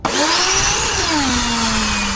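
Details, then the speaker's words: Draper electric pressure washer on the bench, before its spur and pinion gear repair: when the held-in micro switch is released, the motor whines up quickly into a loud, even hum; the motor and pressure switch work normally. "the moment that I release the micro switch, the motor starts. Okay, sorry about the noise. It's extremely noisy."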